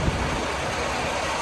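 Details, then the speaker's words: Truck in Canada after tightening a loose trailer air connection that was leaking: steady, even diesel idle with no hiss or whistle; leak noise gone. "এইটাকে একটু বাড়ি দিলে এখন ইনশাল্লাহ sound করবে না। দেখেন সাউন্ড করতেছে না।"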